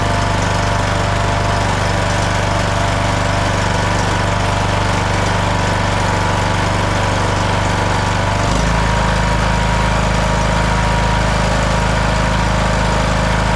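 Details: Craftsman LT1000 riding mower with a non-original single-cylinder Briggs & Stratton 17.5 Intek, after the failed ignition coil was replaced: fires and settles into a steady, even beat, then picks up speed smoothly with no stumbling or knock.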